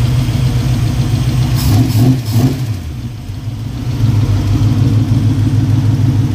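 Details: 1965 Mustang V8 first start after fitting braided nylon AN fuel line and a fuel cooler: a deep burble at a steady idle, a brief blip, then it settles back to an even beat with no knocks or misfires.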